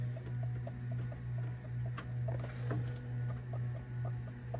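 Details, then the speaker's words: 6.0 Powerstroke, 190,000 miles, belt removed, pulley rocked by hand: light regular clicks about twice a second over a low hum; worn play in the likely original water pump bearing, chased as a front-end vibration. "you hear that bearing in there it's just gotten worn and I'm sure we're going to find out when we pull this off it's probably the original water pump"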